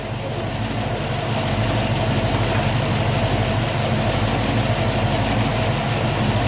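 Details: 1967 Ford Mustang 347 V8 idling after a new battery, cables and alternator, run with UV dye in the oil to trace a leak at the bell housing: smooth, even low idle, steady rumble, no knocks or misses; normal idle.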